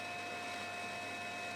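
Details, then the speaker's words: ATI Radeon X1900XT graphics card in Mac Pro at idle on a game menu: loud fan rush with thin whine, ramping up repeatedly; overheating fan from dust-clogged heatsink, cured by compressed-air cleaning. "that is the sound of my x1900 there it goes again just ramped up again that's the sound of my x1900 XT graphics card"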